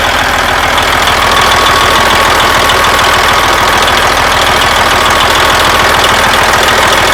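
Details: Detroit Diesel Series 60 truck engine just after air compressor replacement, revved then idling: loud steady diesel clatter at an even idle, regular firing pulses, no knocks or squeals; normal idle.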